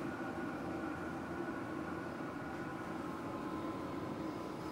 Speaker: now it's it didn't just to turn off but it's starting to cycle down and it's going to go through it shutdown